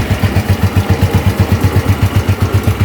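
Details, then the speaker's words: Old Yamaha Nouvo scooter idling before replacing its worn roller housing (original Yamaha 5LW part): even, steady pulse about four beats a second, no rattle, squeal or grinding; the CVT sounds healthy, the swap is for smoothness. "Kalau ngebunyi aneh-aneh nggak ada ya si Nupo ini. Cuma aku aja sih pengen biar dia lebih enak aja gitu."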